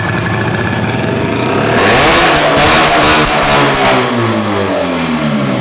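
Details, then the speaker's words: Roughly 50-year-old twin-cylinder vintage snowmobile, sitting in a barn since 2003, on its first start: a crisp, ringing two-stroke note climbs on the throttle and settles back, firing cleanly once the second cylinder lights up, so it runs normally. "I honestly, it lit up that second cylinder and I was confused where I was. It sounded good. That thing sounds incredible."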